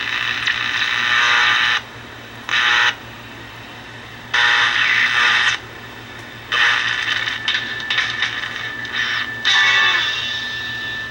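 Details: Vintage red Strauss 5-transistor AM pocket radio on a 9 V battery, restored: stations come through in bursts as the dial is swept; replacing one faulty capacitor restored reception.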